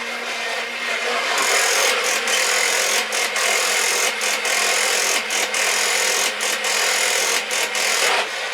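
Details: Refurbished early-1980s Kamco Saturn/Iron Man toy robot switched on: steady high buzzy whir of small motor and gears with rhythmic clicking strides, even and unbroken; toy robot walking normally.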